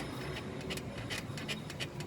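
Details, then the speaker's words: 2011 Mini Countryman, rear stabilizer bar rocked by hand with car lifted: sharp rubbery creaks about three times a second from worn rear stabilizer bar bushings, the noise heard on unpaved roads; bushings to be replaced. "이소리가 이제 비포장 도로나 그런데서 소리가 많이 났던 거예요 이게 심하죠"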